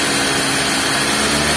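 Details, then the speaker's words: Suzuki Ignis, manual transmission, after replacing the V-belt tensioner bearing that caused a rough growling noise: smooth, even run at idle and when revved, with no growl underneath; normal engine running. "ini kecepatan ideal dan kita gas nah ini udah tidak ada suaranya apa yang ngorok seperti tadi ya"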